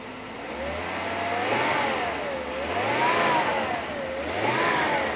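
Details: Volvo 5-cylinder turbo just after a spark plug replacement that hopefully cured a bad misfire: engine picks up cleanly from idle through three quick blips, pitch rising and falling smoothly, some exhaust pops after; revs freely and evenly.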